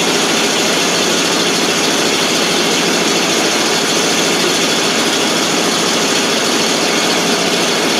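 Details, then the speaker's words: 1988 FMC 6000 (U-Haul), 5-speed, hard start because no fuel was reaching the carb: loud, even hiss and rumble at constant speed; engine now holds a steady idle on its own. "Now it's running all by itself."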